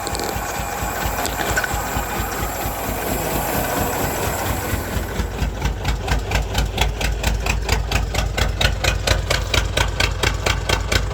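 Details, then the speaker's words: Derelict 1992 Ford Flareside six-cylinder, cold, 57 psi fuel pressure, running on its own fuel: lumpy tractor-like chug at the exhaust, not hitting on all six cylinders. "that kind of tells me it's not hitting on all six cylinders yeah i'll let it just keep stumbling along"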